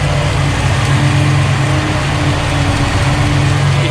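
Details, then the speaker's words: Foxbody Mustang with turbo, newly installed Ford Contour dual electric radiator fans on Derale controller, idling about 15 minutes in the garage at 180 degrees; steady even fan air rush, no rattle; fans working normally. "sounds like they're nice and they're falling but now it's been running now for about 15 minutes 180 in the garage"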